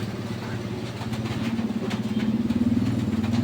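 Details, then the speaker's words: Camel stand electric fan on speed 1 after cleaning and gearbox repair for not oscillating: low, even motor hum that slowly swells and settles with a gentle pulse, no grinding or clicking; fan runs fine. "oh gumana na kaagad dahil naka number one yan oh pero gumana naman talaga to siya mga ka beers yan umiikot yung kanyang pinaka LC"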